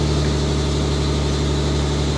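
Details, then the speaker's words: Mitsubishi Diamante at 230K miles, start after tune-up: steady, even low idle hum with no misses, knocks or ticks, running perfectly; an exhaust leak is noted and smoke is expected to burn off. "listen to her purr okay so that exhaust leak has uh you know all the exhaust gasses are just blowing up here but listen to her listen to how perfect she's running"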